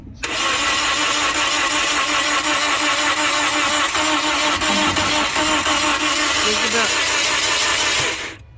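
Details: 2009 Toyota Corolla that died on the highway after the temperature gauge rose; alternator replaced and another battery fitted. The starter spins steadily for about eight seconds with even compression pulses near three per second and no firing. Cranks, no start.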